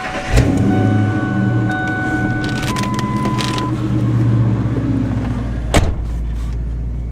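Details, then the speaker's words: Ten-year-old truck with 164,554 miles and no check engine, ABS or airbag lights, fired up: steady even low idle with a brief chime and horn honk; no misses, knocks or ticks, runs perfect. "Truck runs perfect."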